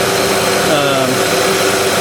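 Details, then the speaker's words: 2006 Honda Odyssey XLE RES after replacing the AC condenser fan and motor, where the failed metal hub had caused a wobble and noise: smooth, even fan whoosh that cycles on and off, with no wobble or rubbing; finding: normal condenser fan. "okay so the after installing the condenser fan everything it's definitely running very very nice it's not wobbling anymore i don't hear that that nasty sound that i was getting"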